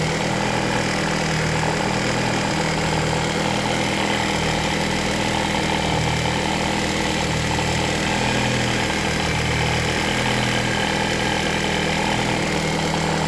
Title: Barulho no motor do carro#mecanico #carro #motor